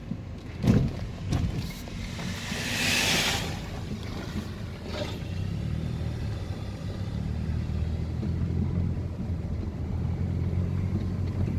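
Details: 2014 Mercedes SLK200 R172 driven on rough, unpaved road: a couple of sharp clunks over rumble, then steady drive; noise began after brake rotor and pad change, caused by loose bolts/nuts; suspension clunk.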